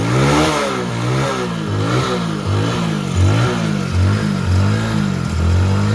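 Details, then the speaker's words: Hero Passion Pro after a full engine rebuild, checked for smoothness and smoke. The single is blipped repeatedly, pitch rising and falling cleanly; sounds very different from before the rebuild; revs smoothly and runs healthy. "అంత first వచ్చిన sound కి ఈ sound కి అయితే చాలా అంటే చాలా తేడా ఉంటది. మీరు ఒకసారి సౌండ్ వింటే మీకే అర్థమైపోతది."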